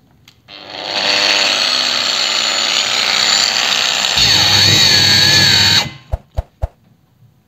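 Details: Procraft PW 1100 ES 125 mm angle grinder on the workbench at speed setting 1 (minimum rpm) under load: steady whine drags lower, then cuts out abruptly. Overload protection tripped; the grinder was fine afterward.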